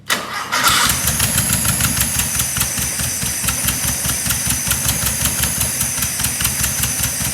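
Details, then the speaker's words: 1976 Porsche 914 VW Type 4 2.0 fuel-injected engine on test stand after 30 years in barn, fuel flushing: catches after short crank, uneven pulsing fast idle with hissy top end; sounds like a big vacuum leak, fuel leak also seen. "definitely sounds like a big vacuum leak and i'm seeing another fuel leak already uh we're gonna have to fix that"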